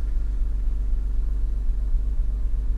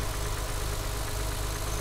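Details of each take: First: BMW E36 M3 six-cylinder at idle. Deep, even idle rumble with a steady beat and no misses or knocks; a slight rattle and an unidentified noise heard at the back, but runs fine; normal idle. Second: BMW E36 M3 at idle: steady idle with a light, fast metallic rattle over the low engine beat, heard from the back; mild rattle of unknown origin.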